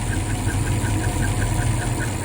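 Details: Supercharged 1961 Studebaker Hawk with TKO transmission, after 5 1/2 years apart: a sharp, light tick about five times a second over a steady, low idle rumble; something is knocking, cause not yet known.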